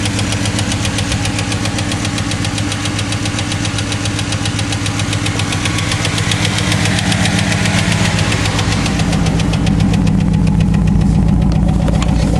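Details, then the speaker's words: Chevrolet Cavalier at idle after fitting a used starter: fast even tick, about four a second, over engine hum from the front of the engine; owner suspects worn hydraulic lifters and plans replacement; muffler also needs fixing. "seems to be running fine it's just the uh the ticking in the front and I'm going to replace those those uh lifters"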